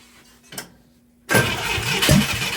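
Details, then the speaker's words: International Scout 800A stored for years in a barn, cranking after spark was restored and fuel was squirted in: steady cranking whirr with one sharp pop backfiring through the carb; won't catch, owner suspects the carb needs a rebuild. "it popped no way how about that the old girl might live after all [Music] sounds hopeful it's backfiring out of the carb hard"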